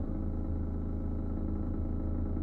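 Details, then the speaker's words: Steady low hum with a constant buzzing vibration beneath it: spare tiles resting directly on the SMC ceiling panel vibrate while the exhaust fan runs, fixed by laying cardboard under the tiles. "자 지금 보시면 환풍기가 돌아가면서 지금 이 최종 계통이 진동이 생기는 데요"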